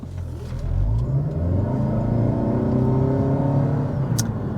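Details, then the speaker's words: 2021 Toyota Avalon XSE Hybrid (2.5 L four-cylinder, 215 hp, e-CVT, about 3,600 lb) floored in sport mode with traction control off. The four-cylinder note rises smoothly and steadily, clean and even with no knocks or rattles. Normal, healthy full-throttle acceleration. "but let's do a slight acceleration run here really quick i'm going to turn the traction control off i'm going to put it into sport mode i'm going to floor it"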